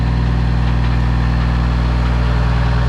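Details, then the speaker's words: Peterbilt cabover diesel truck with the throttle working again: fast idle set via cruise control, a steady even rumble of about four pulses a second with no misses or knocks; a healthy fast idle, though the transmission is failing. "so now look at this i got him fast idling and and the cruise is working the fast idle's working [Applause] and he sounds beautiful"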